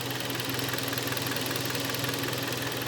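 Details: Kia Sportage G4KD 2.0, 13 years old, 160,000 km, automatic AWD: steady hollow rattling knock at idle, about three beats a second, piston slap from beginning cylinder scuffing; barely audible when hot.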